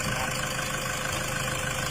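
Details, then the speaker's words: Toyota Tiger D4D (1KD) diesel after repair for blow-by, white smoke, high fuel use and sluggish acceleration; after cleaning, idle is even and steady with no misses, knocks or hunting, running smooth and quiet. "แต่เนื้อผมเครื่องเดินนิ่งมากครับผมเฮียบมากฮะ"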